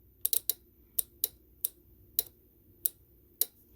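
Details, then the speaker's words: Golf cart charger (Powerdrive) relay on the bench: crisp single clicks as the DC cord is plugged into the cart, putting 48 V on the coil wires; the relay pulling in cleanly is normal and shows it works. "That's what happens when everything is working properly, when you plug your DC cord into your cart. It's got nothing to do with whether it's plugged into the wall or not."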